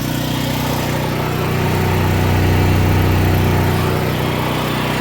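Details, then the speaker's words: Backup generator: the engine runs with an uneven beat and a slow rise and fall in its drone. The generator is misfiring. "All right, guys. As you can see, the generator is missing. Can you hear that?"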